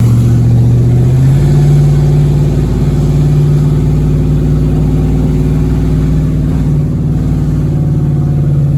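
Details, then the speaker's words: Chevrolet Avalanche truck after an exhaust fix on an owner-built exhaust, following a successful test drive. A deep, even rumble that climbs and settles with the throttle, with no ticking or leak puffing: a normal, sealed exhaust note. "quick test drive around the block was a success uh she sounded nice and sexy"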